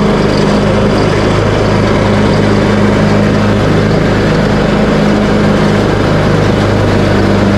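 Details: Craftsman T130 riding mower after repair (replaced fuse, new ignition switch panel), started on choke, blades engaged cutting end-of-season grass with deck set high: steady, even engine drone holding speed under load, no misses, knocks or surging; running healthy.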